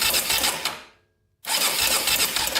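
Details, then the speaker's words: 2001 Honda 400EX quad, sat at least a year and won't start, cranking with fast sloppy metallic ticking clatter; suspected loose cam chain, possibly crank bearing or low compression. "so this is kind of what it sounds like you can hear like a ticking like the cam chains"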